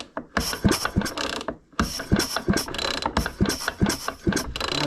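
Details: Mac 610 chainsaw from a garage sale, electronic ignition with strong spark, sat unused, pulled over with a finger over the cylinder: ratcheting recoil pulls, each with a sharp, regular puff; good compression.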